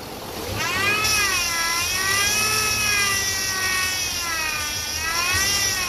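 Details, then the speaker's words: 2008 Chevy Impala 3.5 V6, noise persisting after power steering pump replacement: steady wavering high whine rising and falling with engine speed; air bubbles seen in the reservoir, so pump whine from aerated fluid, air source being traced. "Those are air bubbles. That's what's giving you that noise."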